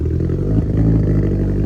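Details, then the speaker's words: Mitsubishi Evo 4 freshly started, still untuned and without an O2 sensor: deep, uneven idle with lumpy pulses and a clattery edge, not settling smooth. Rough idle. "Well, got the Evo 4 running. Run a little rough. Still got to tune it, but we got to get an O2 sensor in it."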